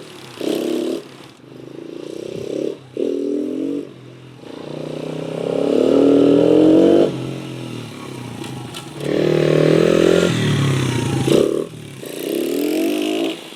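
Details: 1996 Honda XR100 dirt bike, bought non-starting after sitting two years, running after carb cleaned and refilled with fuel: small single picks up cleanly through repeated throttle blips and drops back to idle without hesitation; normal running and revving.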